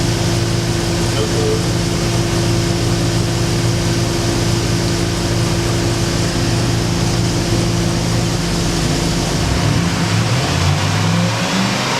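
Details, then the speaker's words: New replacement engine for a Rare Bird ski boat, running on the Marine Power Engines test stand and revved a couple of times: loud, steady, deep, even drone, pitch dipping near the end; sounds good. Normal running. "kid in a candy store, I just couldn't resist having to reach around and rev it up a couple times. Oh, she sounds good."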